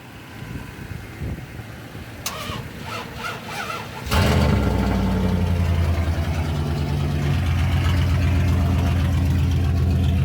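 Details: Dodge Ram 1500 just straight piped with muffler cut off: cranks about two seconds, fires cleanly, settles into deep, loud, even open-exhaust idle with no typical Dodge valve rattle; normal start and idle.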